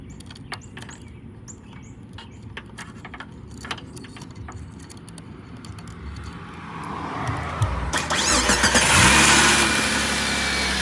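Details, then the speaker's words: 2004 Jeep Grand Cherokee WJ with a faulty ignition switch (lights on, no crank), started using a jumper-wire bypass; faint clicks, then the starter cranks and the engine catches quickly into a steady run. Normal engine start. "it takes a couple times sometimes but that's how you get it started if you're stuck at the [ __ ] gas station"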